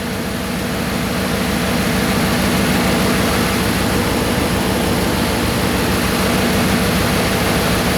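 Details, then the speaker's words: Dodge Hemi V8 after new serpentine belt and tensioner: smooth, steady idle with even pulse, AC compressor engaged, no chirp or squeal, belt stays on all pulleys; normal running. "all right just saw the AC compressor kick on so no Wheeling belts holding"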